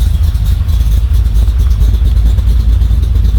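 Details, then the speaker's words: Chevy 350 small-block V8 carbureted swap in Toyota Land Cruiser HJ75 Troopcarrier, after intake off, milky oil changed, waiting to warm up: steady, even idle with smooth low rumble and no tick or knock; sounds pretty good. "that sounds pretty good"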